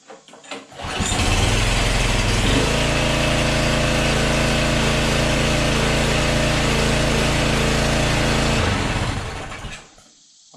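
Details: Yard-sale small engine said to have nothing wrong, with oil and a little gas, started with throttle and choke set. Catches within a second or two and settles into a steady, even buzz with no misses; runs healthy.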